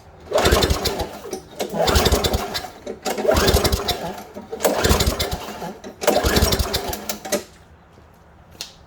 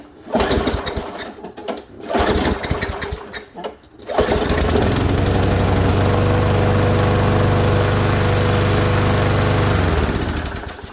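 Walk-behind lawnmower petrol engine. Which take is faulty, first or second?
first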